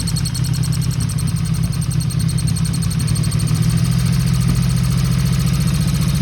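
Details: 1977 Yamaha XS750 with aftermarket air cleaners fitted: uneven, lumpy idle with a loose, irregular chuffing beat over a deep exhaust drone; owner suspects the cam/valve area or a vacuum leak, plans to rebuild the carbs.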